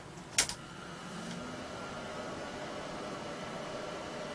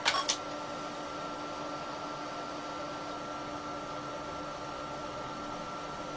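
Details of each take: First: Late-1980s Apricot XEN-S PC, first power-up during restoration: switch click then an even steady power supply fan whir with no rattle or scrape; fan running normally. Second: Late-1980s Apricot XEN-S PC booting DOS boot disk; steady quiet floppy motor whir with faint click at each end, no head stepping, no boot attempt; owner suspects faulty floppy drive or drive controller, unconfirmed.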